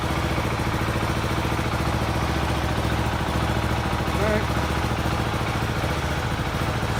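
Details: 2018 Husqvarna Vitpilen 701 single after Coober ECU install, restarted once a forgotten harness connector was reattached; steady thumping idle about three and a half beats a second, no stumbling or dying: normal idle.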